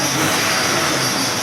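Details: 1994 Ford F-150 5.0, which had been stuck on fast idle and hard to restart hot unless the throttle was floored: it now restarts hot with no issues and runs strong and even, without holding throttle; a belt squeal remains, with a new belt tensioner on its way.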